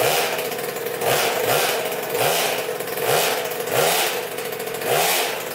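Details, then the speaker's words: 2000 Cobra 50cc two-stroke mini dirt bike with a temporary rigged throttle cable: crisp blips up and down about once a second, picking up cleanly each time; throttle response sounds healthy. "oh yeah she wants to go so throttle cable works"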